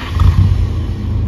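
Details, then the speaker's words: Toyota Kijang Grand Extra starting: short smooth crank with no squeal or chatter, starter sounds healthy unlike older Kijangs, then engine settles into deep steady rumble; normal start. "suaranya khas Kijang starternya pun tidak cengengekan kalau yang Kijang yang lama itu starternya kikikikik jelek kalau ini suaranya ser gitu"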